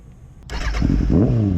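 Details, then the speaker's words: Kawasaki ZX6R with new large battery, after a crash into the sand trap: wouldn't start while left in gear; taken out of gear it cranks briefly, catches at once and settles into a steady idle; normal start. "Aaron, it's in gear. It's in gear. Did you hear that? Oh, imagine that. If you take it out of gear, it'll start."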